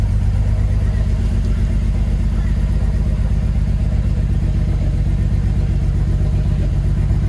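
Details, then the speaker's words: Ford Barra engine with 186,000 on the clock, not cammed, before intake gasket replacement: rough, lumpy, hunting idle at about four pulses a second, heard from the exhaust, held high near 2000 rpm; cause suspected, not confirmed. "Really sort of rough. And you'll be able to hear from the exhaust, but the car is not cammed, and it sounds like this. We've got a very high idle. We've got a high idle at nearly 2k."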